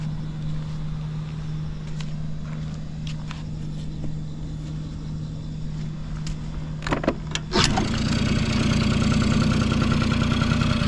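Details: Vintage Honda Squash AB11 scooter, 12V electric start: steady electrical hum and clicks, then the engine catches and settles into an even quiet idle with no knocks; healthy start.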